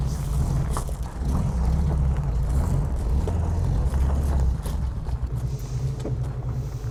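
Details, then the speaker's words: VW Type 3 fastback flat-four started after sitting about a month; strong, steady low burble that revs up and settles evenly with no knocks or misses — normal running. "Oh, look at that. Oh, starts up like a dream."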